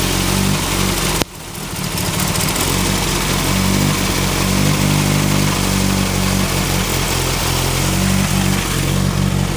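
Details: Turbo Ford Focus with a bad idle even after a new coil pack, and it seems to miss under boost. Owner suspects the plug wires or the cylinder 2 fuel injector. The idle lopes unevenly with an irregular stumble every few beats; rough idle.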